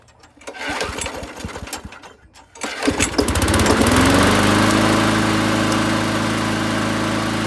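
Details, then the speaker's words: Yard Machines (MTD) 22-inch high-wheel push mower, 4 HP Briggs & Stratton Quattro, revived after abandonment, test fired with new control cable: a couple of pull-start rattles, then catches and runs steady and even, no misses; works good. "okay got the cover back on and we'll test fire it with the new control cable"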